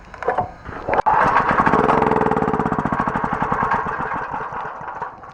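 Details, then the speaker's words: Titan Industrial 8500 W generator, 13 hp Honda-clone engine, fuel reaching carburetor, fuel squirted into intake: catches, fires in a quick uneven patter a few seconds, then dies; gummed-up clogged carburetor, to be cleaned. "So what's going on with this is it simply will not start. We have fuel going into the carburetor, but it simply won't start."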